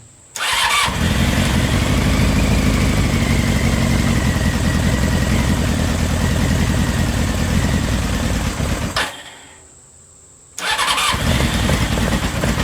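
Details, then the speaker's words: CBR600 engine in a reverse trike, back after over two years: cranks, catches, runs lumpy and uneven, dies and refires; spark and fuel pump confirmed working, owner suspects carburetors need cleaning. "so this thing does show signs of life which is awesome so at least we know it gets it's getting sparked the fuel pump's working so that's awesome but I'm pretty sure we are gonna have to clean the carburetors to be able to get this thing to actually run"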